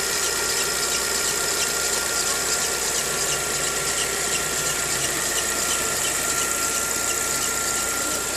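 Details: 2013/14 VW Gol G6 engine making noise mostly on morning starts: constant high-pitched squeal at one pitch over a steady idle; the dealer first blamed the hard alternator belt, but the fault was the timing belt, replaced under warranty.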